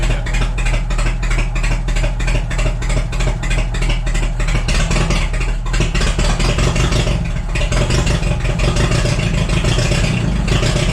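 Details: Cheap $200 forklift after ignition work, distributor cap refitted: choppy idle with uneven chuffs, about three a second, and an irregular stumble; one cylinder missing, traced to a bad spark plug.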